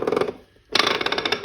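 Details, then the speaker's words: NP208 transfer case in neutral, spun by hand: rough metallic grinding as the ring gear rubs the annulus stop at the bottom. Shift rail has play, and pushing the rod up makes the noise go away completely. "that grinding noise so what's happening there is the the ring gear is rubbing on the annulus uh uh stop at the bottom like the catch at the bottom"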